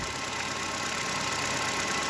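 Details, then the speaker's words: Chevrolet Cobalt 1.5 B15D2 engine just started after replacing the tensioner and idler pulleys and belts, which had caused loud knocking and rattling: even, steady idle with a light hiss, no knocks, rattles or squeals; engine running normally. "так ребята что я запустил машину вроде пока нету никаких звуков"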